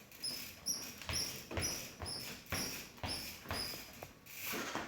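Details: Bicycle (full suspension) being pedalled or bounced: sharp, high-pitched, mouse-like chirps about once a second; squeak source not found, linkage greasing suggested.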